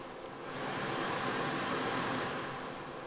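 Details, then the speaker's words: 1990 Mercedes W124 heater blower motor tested during reassembly after a lube job for the squeak: a smooth, even rush of air with no squeak or ticking; works normally. "And of course, before going too much further with assembly, let's give that a test. And of course it works magnificently."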